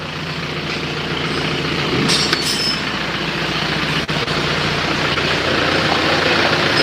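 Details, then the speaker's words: Isuzu Panther diesel after engine overhaul for white smoke, used liners reinstalled, first start with charger assist: steady, even diesel clatter with no knocks or misses, smooth settled idle; smoke seems cleaner, normal idle. "suaranya suaranya ya bagus ya asapnya kalau menurut perasaan saya Justru malah lebih bersih"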